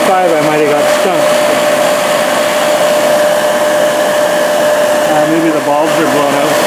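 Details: Used 1998 Workforce 8-inch bench grinder, 120 V 5 A, with brush and stone wheels, on a 20 A outlet: spins up to a steady, even whir with a clean hum, no rubbing, grinding or wobble; normal running.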